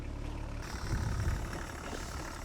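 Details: BMW E34 525tds diesel, idling while parking after self-levelling suspension removal; low, even chug with steady rhythm and no knocks or rattles; normal idle.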